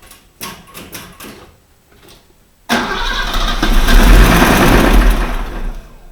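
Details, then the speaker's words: Mercedes W123 with a manual gearbox: a deep, heavy knock at about two per second after a cold start, from worn crank main bearings (not the rods), even though oil pressure is still present. Main bearing knock. "стуканул не шатуны А корень шатуны маленько звук другой будет"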